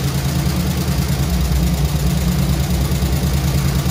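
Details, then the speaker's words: Squarebody Chevrolet C20 with flat-tappet lifters, two of them completely collapsed and some metal in the oil. Rough idle with a rapid clatter, about three ticks a second, heard also in the exhaust; lifters to be replaced. "on this side i found two rocker arms where the lifters were completely collapsed they were loose like really loose so it's gonna make a ton of noise when i started up"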